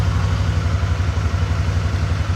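Smooth, steady low throb at idle with no stumbles or knocks; the engine idles normally.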